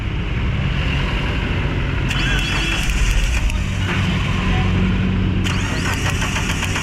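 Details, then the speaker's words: 2017 Suzuki APV with rough idle, heavy vibration and low power, one coil feeding two plugs: during spark test at idle sharp crackling snaps as spark leaks out the coil's side; faulty ignition coil misfire. "sobrang lakas po ng mis fire ng kanyang ignition coil Ayan kaya Mayon siyang low power at saka vibration ito ang problema sa kanya mga boss"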